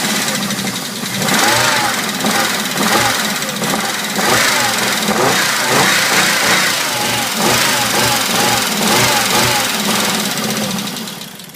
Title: 1997 Volvo 850R rough idle after head rebuild